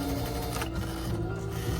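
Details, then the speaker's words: Viking Emerald 118 non-computerized sewing machine that came in very tight and kept stitching after releasing the foot control, before repair: labored, uneven stitching with strained dragging rattle; mechanism binding somewhere, black residue coming out when oiled. "tight that's not good so something is not really right here and this is not a computerized machine so there's not a computer"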